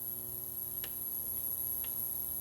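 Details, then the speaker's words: Four race-car injectors being cleaned in an ultrasonic injector cleaner after E85 use. A steady electric hum with a sharp click about once a second as the injectors open and close slowly. Normal cleaner operation. "So the clicking that you hear, assuming you can hear me talking, the clicking is the injectors opening and closing real slow."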